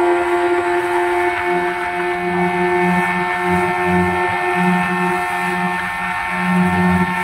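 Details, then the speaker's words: Yamaha 15 hp outboard after repairing leaking reed valve and cleaning the clogged carburetor's small jet: revs rise and fall with throttle blips and settle without dying. Normal running under throttle. "saya lepas saya lepas Iya tidak mati lagi sudah jos sudah bagus"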